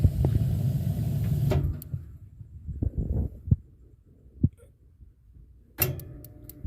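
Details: Columbia baseboard hot-water boiler: igniter ticks and arcs at uneven intervals with no flame lighting, intermittently; suspected gas supply to igniter. Cause not confirmed.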